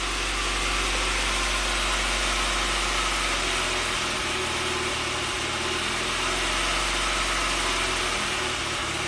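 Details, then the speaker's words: 1993 Saab 9000 CSE Turbo, hot idle around 1,400 rpm: the idle drifts up and down instead of holding steady. Blipping the throttle nearly stalls it before it revs up; flashing check-engine code 5, suspected TPS signal. "okay idle is going up and down a little bit I press the throttle it drops off a cliff so it's kind of a and then revs up"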